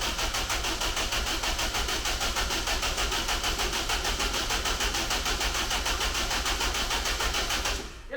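Even starter cranking at about three compressions a second, never catching or firing; it turns over but won't start because the cam timing is out.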